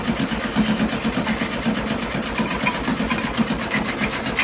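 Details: 1972 VW Beetle sat over three months in wet weather, first start attempt after 3 hours battery charging; starter churns evenly about twice per second, never catches, battery fading. No spark, ignition to be checked. Crank no start, no spark.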